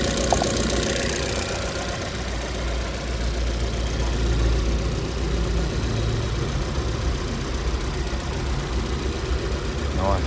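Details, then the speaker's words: Chevrolet Cruze 1.8, about 12–13 years old, at idle after a gearbox whine repair: steady, even low idle with no whine rising above the engine, the gearbox now quiet. Normal idle. "Anh em nghe tiếng xem nó có réo nữa không nhé. Đấy, từ một đống hỗn độn em đã êm."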